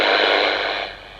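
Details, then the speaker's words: Harvard H-407 CB radio, first power-up, on channel 20 with a one-microvolt signal generator input: harsh, fizzy hiss and crackle from the speaker; distorted receiver audio, cause unknown. "as you can hear that sounds absolutely dreadful"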